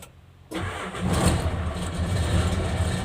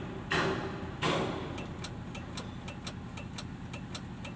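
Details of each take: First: Hino Lohan truck diesel after fixing starter that only clicked: starter turns and engine catches straight away into a steady even low rumble; clean normal start. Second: Hino Lohan 260 truck, key turned to start: only a dry ticking about one or two a second from the relay behind the left dashboard, with no cranking; a blown starter-circuit fuse cuts the starter.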